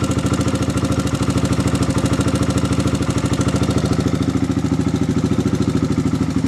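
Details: Steady idle with a quick, even light tapping keeping pace with engine speed, recorded before valve adjustment; loose valve clearance suspected, not confirmed.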